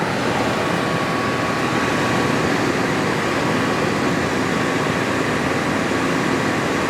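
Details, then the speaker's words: Attwood 8535-III RV furnace after reassembly with a new blower motor; the original burner tube (small rust hole) and original electrode are refitted. It fires right up with a steady, even rushing roar and faint hum, with no popping or surging. Normal burner operation. "Fired right up. See if it breathes a flame. Well, y'all can probably hear burning like a champ."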